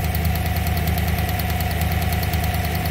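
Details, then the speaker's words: GM 5.3 V8 truck with Black Widow package, check engine light on, idling with a light regular tapping about three times a second and a slight misfire; a coil wire has fallen out of its ignition coil, not lifters or exhaust. "a slight misfire too he said it was running fine just had to check engine light see that coil wire is hanging out"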